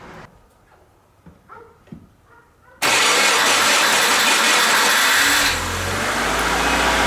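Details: Subaru Forester with the rebuilt EJ2.5 just reinstalled, first fire-up out of gear after priming the fuel system, OBD2 reader fitted. After a quiet spell it cranks, fires and settles into a steady, even idle with a slight drop in revs.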